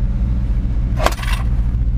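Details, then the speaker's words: '87 Chevy C10 with a 305 V8 and 700R4, after a weak fuel pressure regulator was fixed and a header exhaust leak repaired: deep steady V8 rumble with an even low beat and no misses or ticks, a brief scrape overhead; healthy smooth idle. "here we go Thanks up runs well"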